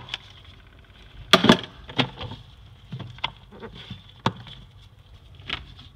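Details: Samsung refrigerator next to a bedroom runs with a steady high-pitched buzz over a low hum, broken by irregular clicks and rattles; loud enough to prevent sleep.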